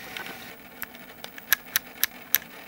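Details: Panasonic SVHS-C camcorder, NV-S70 or NV-S85B: sharp dry mechanical ticks in an uneven run, about three a second, over a quiet hiss; tape mechanism clicking noisily, cause unclear.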